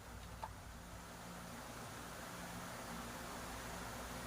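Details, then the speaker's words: Joson AV-902 amplifier after repair, bias checked at about 0.3 on outputs: quiet hiss then one sharp click as the speaker protection relay switches on at power-up; normal, safe to connect outputs. "Oh, nag-switch on na yung relay. Yan, okay na siya."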